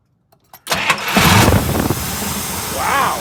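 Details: 1959 Buick after a crank-no-start with extremely weak spark; it has two coils and added toggle switches; flipping a switch to the other coil lets it crank briefly, catch, and settle into a steady, slightly uneven idle.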